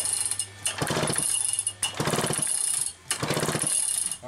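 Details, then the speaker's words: Used chainsaw being diagnosed, spark plug grounded while pulled over three times: rapid strings of sharp snapping ticks from the plug; good ignition spark. "This has actually got great spark. So that's a great sign. You can hear it popping as much as you can see it."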